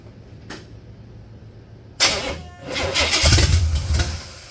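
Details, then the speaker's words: 1966 Buick Special with a 350 V8, first start: cranks briefly, catches at once and settles into a loud open-exhaust idle with a few blips, no obvious misfire; only a little gas-smelling smoke, no oil smoke; brakes not yet done. "sounds like the old 350 is going to be pretty good I didn't see a lot of smoke uh just a little bit it smells like gas smoke it don't smell like oil smoke"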